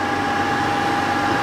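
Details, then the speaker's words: Portable air conditioner being set up in a catamaran's aft cabin, on a sink with inlet and outlet ducts, cold air from outlet; steady compressor drone under even fan rush, faint constant tone, running quietly; normal running. "There's the unit. It's running pretty quietly."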